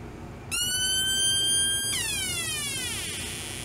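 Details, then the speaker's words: Homemade 1972 electronic siren oscillator with original, suspected failing timing capacitor refitted: tone jumps in, holds, then slides down and fades instead of holding constant; same bad behavior. "same bad behavior"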